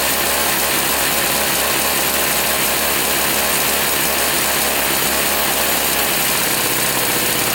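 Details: Toro two-stroke flapper-type snowblower that hasn't run in a while, after a hard start: raspy, buzzing drone at one speed with a slightly uneven beat; runs roughly, and a carburettor adjustment changed little.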